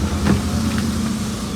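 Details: Maruti 800 after silencer repair at a workshop to cure loud rough exhaust noise and vibration: steady low idle hum with even beat and only slight extra noise; exhaust sounds sealed and engine runs smoothly.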